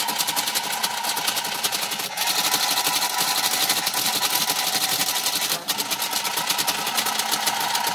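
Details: TIM8 relay computer driving a Fenix TK41 parallel-port tape printer to print Hello World, after fixing switch-bounce pulse issues: dense, fast relay clicking with the printer's rapid chatter, steady apart from brief pauses; running normally.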